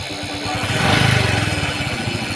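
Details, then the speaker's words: Honda XRM 125 carburetor motorcycle: odd extra rattling note over a quick, even single-cylinder pulse as revs rise when started; source not yet found, to be disassembled to check. "Pero share ko po sa inyo yung problema ng motor na ito. Oh. May kakaibang tunog pag pinapandar."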